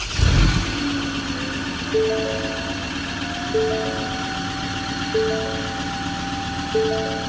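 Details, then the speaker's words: Ford Ranger 3.2L automatic diesel at nearly 200k, first start after replacing all five injectors and the fuel filter: catches with smoke and settles into a steady even idle, with no ticking over the clatter; sounds healthy. "Smoky. Oh, that was good. That sounds good. No ticking noise."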